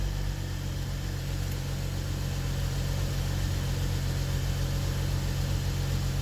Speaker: Det är olja och sånt, bror. Jag tycker det låter bra, walla.